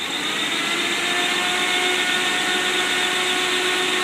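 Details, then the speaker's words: 1955 Ford Thunderbird Y-block V8 on test stand, cold idle about 1000 rpm, electric pusher fan in front of radiator switched on: even, steady fan whir over the idling engine, no rattle, scrape or wobble; fan running fine. "we can turn the electric fan on although we don't need it but I'll turn it on to demonstrate it"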